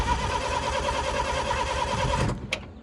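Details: Bobcat 743 diesel skid steer, just repaired for hydraulic fluid leaks, cranks after glow-plug preheat with a steady starter whirr and an even pulse about three per second but never catches; owner suspects the fuel was left shut off, unconfirmed.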